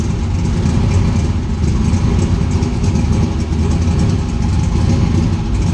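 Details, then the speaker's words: Turbo engine on MegaSquirt ECU after loose turbo-side intake couplers were fixed, MAP sensor reading about 30 kPa high: steady even idle rumble, no stumbles or hunting; sounds good. "You find the happy spot with the throttle and you'll just know right away, like, okay, that's happy. That sounds good right now."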